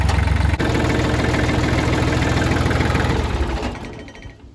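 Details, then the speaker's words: Kubota L3000DT tractor diesel, replacement used engine, fuel line set straight on the pump from full tank: even steady knock about three beats per second, then winds down smoothly; healthy idle. "Sounds healthy. pumping. My bolts are falling. That runs good."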